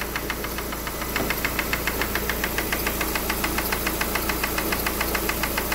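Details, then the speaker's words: Lada Granta brought in for an engine knock first blamed on the hydraulic lifters, timing belt cover and lower engine mount removed, at idle. Sharp, even ticking about twice a second: the loose camshaft position sensor is hitting the gear, probably because its mounting has dried out. "вот здесь вот стоит датчик положения распредвала и вот вот он друзья и стучит об шестерню"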